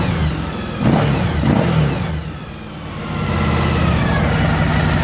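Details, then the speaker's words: Suzuki V-Strom DL1000 V-twin, 23,000 miles, starts and idles fine cold but idle goes erratic once warm, revs rising and sagging; fixed for a while with new spark plugs and checked throttle linkage, but the problem returned; clogged fuel filter or failing pump suspected. "was not idling properly after it warms up"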